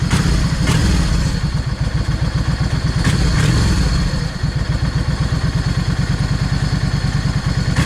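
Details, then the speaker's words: Yamaha 650 V Star after its jets were changed. Deep, steady, loping V-twin idle, slightly too low, as the idle speed is being raised. Healthy idle. "I need to idle this thing up just a little cuz it's idle just a fraction too low."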